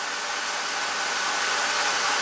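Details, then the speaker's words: 2007 BMW X5, coolant nearing 195–200°F: steady hollow rush of air as cooling fan runs pinned at full speed because the failing electric water pump's speed isn't seen by the computer. "I think around put it over 200 degrees it really will kick the fan on"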